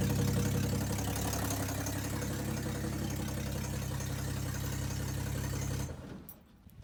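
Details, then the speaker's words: 1962 Ford Falcon, not run in 25 years, aftermarket carburetor on the factory intake, original 6-volt coil and wiring, warm, key start: a rapid, fairly regular low knock about four per second from the lower end; bearing noise suspected. "what's this that's not good I don't know how well the video is picking it out but nothing got a lower-end noise"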